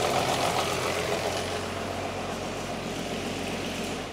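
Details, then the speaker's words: VW Passat R36 VR6 (300 PS) just after timing chain tensioner work: it starts fine, but within seconds an uneven, rapid ticking rattle of three to four per second appears over the idle. Abnormal engine noise, cause unconfirmed. "okay something just happened there"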